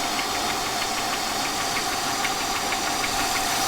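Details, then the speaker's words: 1999 Buick Century at idle, still surging slightly after vacuum hose work: faint uneven high tick about three per second under a loud pump whine, with a stumbling rhythm; a misfire is suspected, no smoke seen, cause unknown. "see if it's smoking not smoking but I think it is misfiring"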